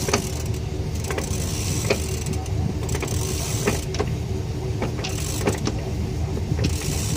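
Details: 6R140 transmission, vehicle up on a jack stand with the driveshaft turned by hand: irregular clicks and clunks every second or so over a low rumble; unexplained internal transmission noise.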